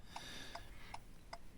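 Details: 2018 Ford Fiesta MK8 keyless, hazards switched on with a battery clamped on during spare proximity-key programming: crisp, even clicks about two and a half times a second in a quiet cabin; the hazard flasher relay ticks normally.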